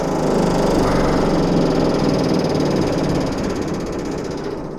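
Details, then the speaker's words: Commercial rooftop HVAC unit blower running, no cooling complaint, only noise: dense rhythmic slapping about four per second, something flapping. "Something's in there flapping. I don't know if the belt's broke or what, but we'll figure it out."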